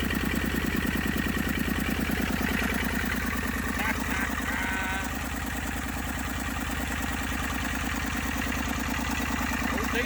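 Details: Massey Ferguson 35 diesel tractor after 20+ years sitting, tow-started in third gear high after starter failed: even, regular chugging at low idle with steady firing beats and no misses; normal running.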